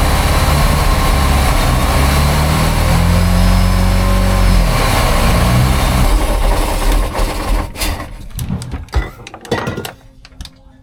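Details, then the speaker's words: 1978 Sea Ray boat, MerCruiser 383 Mag Stroker V8 with bad tank gas and faulty carburetor, being force-fed gas to prime the fuel pump: low steady rumble that sags and dies after about six seconds; engine runs only on hand-fed fuel. "so now I'm just kind of basically Force feeding it with gas to make it run hopefully it primes up the fuel pump and does it by itself"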